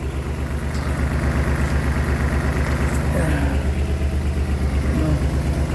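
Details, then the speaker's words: 2007 Dodge Nitro after fuel pump replacement and 6 gallons added following no-start: steady even idle pulse, smooth low rumble, no misses or stumbles, no leaks; normal idle, now running again. "Okay, so this broke thing is now running again. Oh man, thank God."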